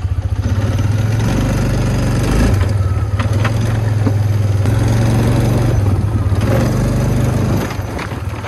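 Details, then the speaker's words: 2009 Polaris Sportsman 550 XP, lurching forward in gear, stripped shifter: rough uneven thumping under engine drone with occasional sharp clunks from rear; cause worn clutch and failed one-way bearing. "definitely hearing a noise there now but it sounds like it would be in the clutch maybe it's in the transmission let's go find out"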